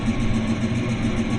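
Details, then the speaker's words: 1973 Plymouth Satellite Sebring V8 idling after three years unrun, revived in three hours with replacement intake manifold, carburetor and valve covers; single 2-inch exhaust. Steady, even low burble, regular firing, no misses or knocks; healthy. ">> Ooh, she sounds good. Single exhaust."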